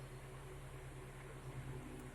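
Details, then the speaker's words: Car AC blowing only air: engine running, AC on, manifold gauge needle not moving; steady low blower hum with no compressor kick-in; compressor not engaging. "bây giờ điều này được nhìn thấy đã hoạt động, chỉ toàn cầu là hoạt động nhưng máy nén không hoạt động Điều đó khá rõ ràng."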